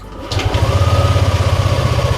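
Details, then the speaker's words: Used automatic scooter, engine warmed up first, checked at idle for smoothness: steady, even low putter with no knocks or rattles; a normal, smooth idle. "Posisi mesin kalau yang lu cek nyala nih ya. Kalau ini sih kalau lu mau cek halus bro, dengerin suaranya."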